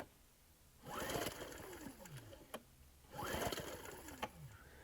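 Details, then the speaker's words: Ryobi RIG1000 1000 W inverter generator, bought as non-running: two recoil pulls, quick spin-up whir winding down with no firing; spark plug grounded on cylinder head shows no spark; no start, plug later found faulty. "i've got the spark plug earth there on the cylinder head and i'll give it a pull over and see if we've got any spark no spark it's not good"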